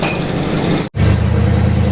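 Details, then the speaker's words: 1976 Chevy or 1964 Chrysler after plugging taped-over vacuum ports (suspected vacuum leak): fairly even low idle with one brief dropout, then steadies; no hunting or hiss, running better. "So, I actually put some plugs on it, and I think we had a vacuum leak. So, it's it's running"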